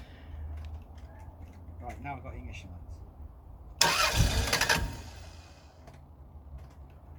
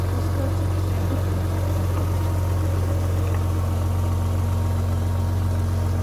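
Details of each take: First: Rover 800 that has stood unused for years, on a newly connected battery: two bursts of fast even cranking, each a few seconds long, never catches. No proper ignition lights and it cuts out; it later ran on a small bit of fuel. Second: Rover 800, about 85,000 miles with full service history, first start after standing unused for years: deep, even idle with a steady low beat about two and a half per second, no misses or knocks; normal idle.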